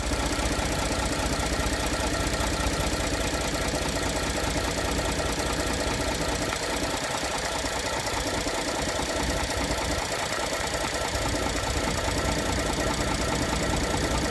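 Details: 2014 Ford F-150 3.5 EcoBoost, warmed up, idling after revs: rough, fairly regular knock under the engine note, heard near where the crankcase meets the transmission; source not pinned down, cause suspected, not confirmed.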